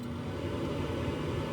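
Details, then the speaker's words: ICP Comfortmaker gas furnace after blower motor work, W heat call: steady low motor rumble comes up and holds even, no rattles or squeals; induced draft inducer starting normally. "So I'm just gonna do the W one time as well, make sure the induced draft comes on."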